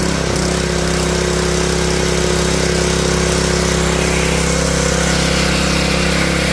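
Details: Honda GX160 junkyard engine after a carburetor rebuild, started on choke: the single cylinder putts along at a fast, even beat, about four firings a second, with no misses or surging; running fine despite filling the room with smoke.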